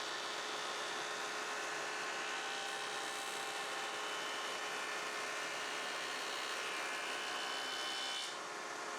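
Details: Shopsmith Mark V mounted thickness planer on final pass, feed motor speed turned all the way down, same cut depth as last pass: steady high cutterhead hiss over even hum, no bogging or pitch change; clean normal cut.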